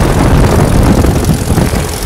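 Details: Kit plane engine after 14 years idle, restarted with electric fuel pump on while checking mechanical pump: deep, steady propeller roar at even pitch through short run-up, no coughing, misses or surging; started on half a prop spin; normal run-up.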